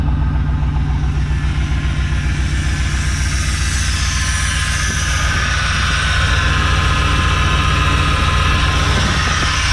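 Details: 1994 GMC C3500HD bucket truck converted to a dump truck, new Carter electric fuel pump, battery just charged after it wouldn't crank. The freshly started V8 idles with an uneven chug of three to four beats a second, running rough. Cause not confirmed.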